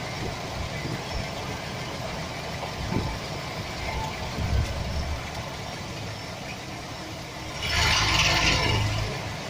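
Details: 2007 Chevy Express 1500 4.3 V6 at smooth idle: light irregular rattle about three or four a second; bad starter motor drive gear tapping against the flexplate (flywheel).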